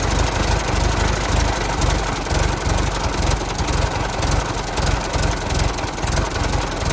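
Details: 1916 Federal Motors truck, 107-year-old four-cylinder that was seized and sat 50+ years, bottle-fed fuel, rusty radiator being filled with water; steady, even low chug with a regular firing beat, no knocks or misses: normal idle.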